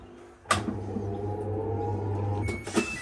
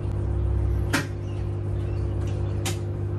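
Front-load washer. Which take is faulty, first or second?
second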